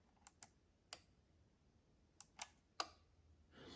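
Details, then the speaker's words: Maple syrup temperature probe unit, relay manually toggled with bypass button in a quiet room: six sharp, crisp clicks spaced unevenly over a few seconds; built-in relay switching in and out cleanly. "So this is just a bypass in case you want to manually turn it on and off. And if I'm quiet, you can hear the relay inside clicking."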